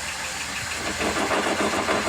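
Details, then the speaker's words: Car raised with its wheel spinning in drive, just after new brake pads were fitted: harsh scraping rasp that rises and pulses with the wheel over the engine; the new pads are so thick they rub the rim. "Because these new brake pads are so thick, they're rubbing"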